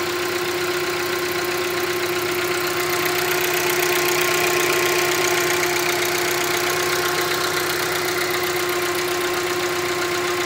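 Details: Hyundai Creta 1.6 engine: a steady, even idle with a clean hum and a light, rapid ticking of about four per second. This noise occurs in the morning and is normal character, not a defect.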